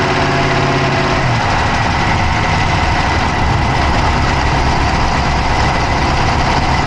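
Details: Dodge Charger Hemi V8 at steady idle, no revving, recorded inside the engine bay on the passenger side with an Insta360 Go3: busy, fast ticking holds constant over the idle; a top-end tick, cause not clear.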